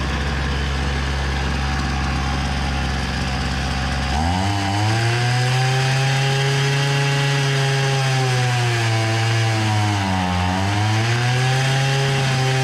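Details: Hyundai two-stroke brushcutter, low rpm and slow-turning head so it won't cut grass: idles low, then revs unevenly, climbing and sagging, never reaching full revs; wet air filter, cause found as scored piston and carbon-blocked exhaust port.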